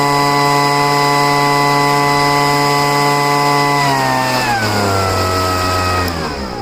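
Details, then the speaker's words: Poulan two-stroke leaf blower, first start of year after storage, after heavy priming and high-speed mixture screw richened: steady high buzz at even pitch, dropping smoothly to lower speed without stumbling; runs properly. "okay, it's fine now. I usually don't have to pour any gas into the cylinder to get it to run."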